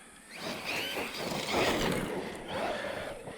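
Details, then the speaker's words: FMS FMT10 brushless Chevrolet Colorado 1/10 RC truck after fixing center diff that acted stripped (washers replaced/added, 1 million diff fluid, new Mod 1 spur and pinion): motor whine climbs smoothly accelerating, no skipping or clacking; strong power. "Yeah, and now it's taking off. It's not even really pulling up the front end like I thought it would. But man, it's really driving power."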